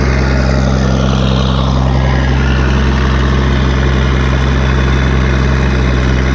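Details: Case 1450B dozer with a freshly rebuilt diesel engine, blow-by checked after a throttle blip: steady, even low idle rumble with no knocks or misses. Oil pressure is about 27 psi at idle before full warm-up, and the engine is healthy and ready to work.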